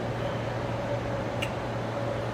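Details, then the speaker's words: Reflecta Diamator AF Type 1002 autofocus slide projector: slide holder inserted arrow toward lens won't advance; steady low motor hum with fan-like hiss runs on as the changer motor spins while a piece snags somewhere in its travel, slide changer jammed. "And it's not sliding. There we go. All right, maybe Nope. It's getting stuck again. We can hear the motor spinning that."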